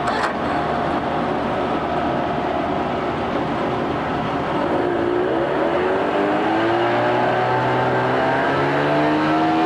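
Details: 1988 Mercury 25hp two-stroke tiller outboard, 20in shaft, electric start, restarted after kill switch, run on water: smooth even drone, pitch easing slightly toward the end, no misses or knocks; a good running freshwater engine.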